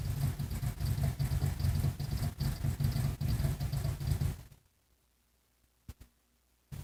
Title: Goodman GE ECM rocking for position, no start